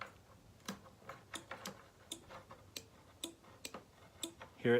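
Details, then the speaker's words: Quiet garage, engine off: sharp uneven starter relay clicks about every half second without the start button pressed; wiring traced and starter switch tested with no short found, cause unknown. "it clicking? That thing shouldn't click until I press this starter button. So I don't know what's causing it."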